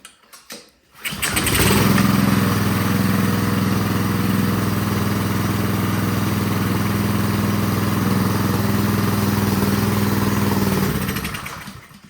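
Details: Ryobi 3300 PSI pressure washer with Honda GCV190 engine, sat years with old gas, after draining old fuel through the carburetor: catches after a pull, steady even small-engine drone about nine seconds; normal running.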